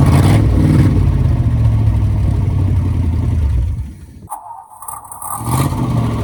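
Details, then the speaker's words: 1957 Ford Thunderbird barn-find project car, up and running again after work: a deep, lumpy V8 rumble that drops off then picks back up, running steadily and sounding healthy. "but it's up and running again and yes it's nice to see it up and running and hear it running"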